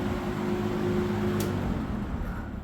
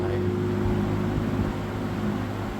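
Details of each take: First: 1970s Electrohome 652-2C (Lakewood P23) box fan switched off from high speed: motor hum and blade whoosh die within about three seconds, a short spin-down for this model. Owner suspects it needs oil, but oiling didn't help. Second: 1970s Electrohome 652-2C (Lakewood P23) box fan running on high, noted as needing oil: loud steady rush of air over a deep even hum with no rattle or wobble. Normal, strong running.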